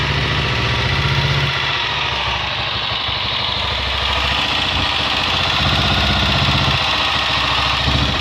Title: Xlr es barulho estranho no motor.